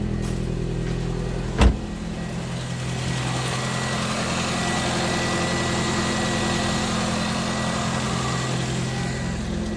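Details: Wrecked Toyota Corolla, start-up: a sharp bang, then the idle sits high as if the throttle were held open. Owner suspects the air pipe feeding the intake manifold. Coolant not circulating after overheating, possibly the water pump; unconfirmed.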